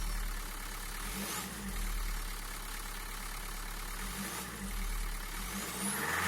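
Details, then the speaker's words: Renault Megane 3 1.5 dCi 106 hp, cold engine just after starting, after glow plug replacement (a damaged plug caused fault codes): steady, even, quiet diesel idle clatter with no misfire; errors no longer appear. "Comme vous pouvez le voir et vous pouvez entendre le moteur froid immédiatement après le démarrage, il fonctionne de manière uniforme et silencieuse et les erreurs n'apparaissent plus."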